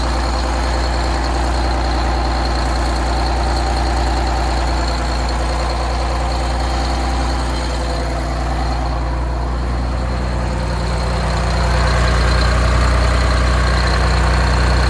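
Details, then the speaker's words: 6V92 two-stroke diesel in an MCI bus conversion, warm, after exhaust manifold gasket replacement: deep, steady idle with an even low drone and no sharp ticking. "i'll play the old sound now and then let's compare it to the new sound the way it is that noise should be gone"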